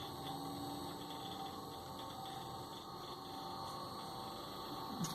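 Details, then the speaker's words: LG inverter air conditioner outdoor unit with BLDC fan motor: steady compressor hum with fixed tone, but the outdoor fan fails to start, no feedback, then unit shuts down with error 67. "lì ho sentito che ha iniziato il compressore la ventola non si avvia"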